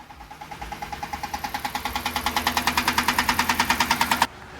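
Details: Jeep Grand Cherokee V8 at 221,000 miles at idle after a quick start-up, heard from the front. A sharp, steady metallic knock of about three per second grows louder. It was first thought to be a lifter but is rod knock, with the motor near failure.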